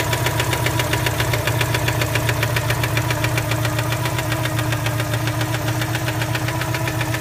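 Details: 1987 Citroën 2CV Special, warm idle: a noise that appears only once the engine warms up. Sharp, regular knock about four times a second from deep inside the engine, not tappet noise. Internal engine knock.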